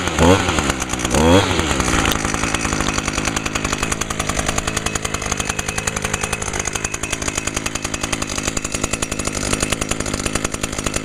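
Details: Echo two-stroke (model not stated) stored all winter with VP ethanol-free small-engine fuel in it, no winterizing or fogging, primed; catches after a pull or two, then holds a crisp, steady buzz without sputtering, barely a little smoke; running clean.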